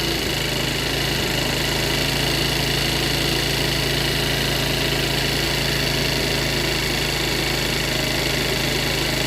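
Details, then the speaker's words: Cheap Chinese 50cc scooter, revived after sitting, on a motorcycle lift, warming up: steady, even buzz, slight vibration, no misses or knocks, idling a bit high before idle is lowered; normal idle. "sounds pretty healthy still idling a bit High I'm waiting to see if that's warm up or not I think it's fast warm up so I'm going to take a little out"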